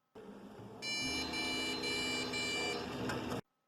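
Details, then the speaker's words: TA-MBB75 LGA1155 motherboard powered on by jumping the pins, with RAM removed on purpose and a buzzer fitted to test whether the board is alive. One long continuous beep of about 2.5 seconds: the POST beep code for no RAM installed. "E deu o sinal sonoro para a gente indicando que não tem memória RAM. E na verdade foi proposital."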